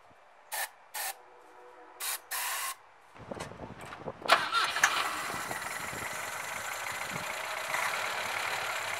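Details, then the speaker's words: 1967 Volvo 122 Amazon, B18 engine with low compression (150, 120, 120, 150 psi); may be short of fuel. Short bursts, then cranking before it catches and runs ragged and uneven: hard starting, struggling to stay running. "it has low compression so it's really not running that well but that's what it sounds like"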